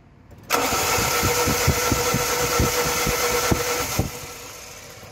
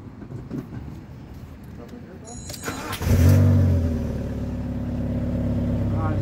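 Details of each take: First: Fiat Punto HGT petrol engine, broke down after a hard pull, runs roughly with uneven thumps about four a second; spark check shows one ignition coil burnt, dead-cylinder misfire. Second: Fiat Punto HGT engine, after knock following a hard pull and replacement of a failed ignition coil, cranks and catches cleanly, then settles into a smooth, steady idle with a light rev.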